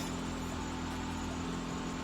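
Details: Car with a dead battery just started using a 99800mAh jump starter booster pack: quiet, steady low idle with no misses or knocks; engine running smoothly.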